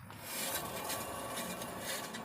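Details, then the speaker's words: 1999 Ford F-350, passenger-side front hub turned by hand during a brake job: dry, gritty rasping with no clean roll. The wheel bearing is grinding; the mechanic hopes it is only lack of grease rather than pitting. "the only thing that's got me worried as I can hear the bearings grinding over here so I don't like that"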